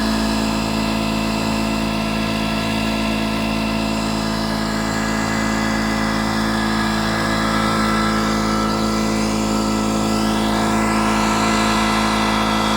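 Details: 2-stroke V8 Detroit Diesel 8V71 from an old tour bus running away at full RPM with a water hose feeding the blower; a steady screaming howl with hard buzz that never drops back.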